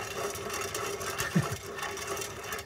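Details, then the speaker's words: 2006 Toyota Prius, 205k miles, CV axle removed from the hub: dry, gritty rubbing rasp as the front ball joint is turned by hand; the joint is badly worn, though it shows no play; a new one is silent. "Yep this ball joint is really bad there should be no sound that the new one doesn't have any sound and it's just like resistance when you turn it"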